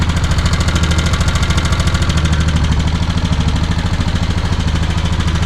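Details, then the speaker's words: 2015 Honda Foreman 500 4x4 fuel-injected single-cylinder ATV just started: even idle with a light, fast regular tick on top, about three per second; source of the tick unclear. "Hear a little tick somewhere."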